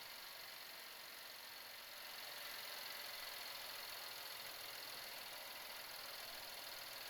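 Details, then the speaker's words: 2018-2024 Buick Enclave 3.6L V6, first start after spark plug change and intake manifold reinstall: fast crisp light ticking, about three a second, over steady idle; normal direct-injection injector noise. "got noisy fuel injectors. We can hear them just uh going crazy down there injecting."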